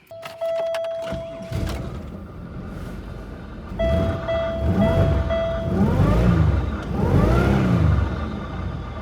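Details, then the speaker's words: Pontiac Grand Prix long parked on a Kansas farm, jump-started, idling in about 110°F heat index: steady mid-pitched whine with overtones over the idle, coming and going as the clutch cycles, from the noisy A/C compressor, which may need replacing. "all right that noise is the air conditioner compressor which I was going to work on and I may end up having to replace it"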